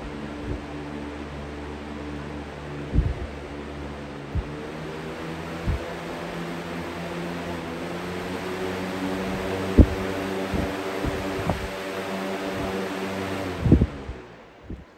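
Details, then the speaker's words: Air King 9723 box fan, steady low hum then smooth quiet spin-down with no rattle or wobble; much quieter than before, normal. "spin down much quieter much better way more tolerable and now more usable"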